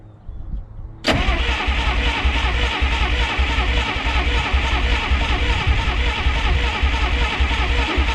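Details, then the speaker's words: 1951 Studebaker Champion revival, after starter work: catches after a quiet second and settles into a rough, uneven idle, then dies after about 15 seconds; cause unconfirmed. "you it just ran for like 15 seconds oh damn it"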